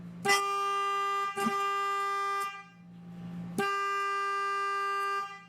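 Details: 12 V horn on a test board wired for a voltage-drop check: three clean, strong, steady blasts of about a second each, a pause before the last; normal horn operation.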